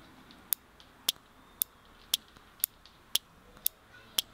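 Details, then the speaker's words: Automotive relay with its cover removed, switched on and off from a bench power supply: crisp clicks about every half second, eight in a row; clicking means the relay is good. "clicking can be actually heard through the cover so this is one of the methods of being able to test whether a relay is good if you hear the clicking chances are that really is pretty good"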